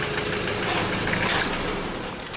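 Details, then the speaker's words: 2015 Mazda BT50 2.2 L diesel, 256,000 km, catches quickly and settles into an even clatter without long cranking; it starts easily. "so it starts right up easy"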